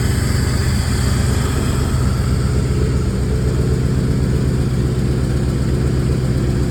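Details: Engine with known exhaust leaks, minimal power, tries to stall when braking, no check engine light: deep uneven idle with a lumpy beat of about four pulses a second and a heavy low rumble; rough idle, owner suspects timing, cylinder head, distributor, CMP or MAP sensor.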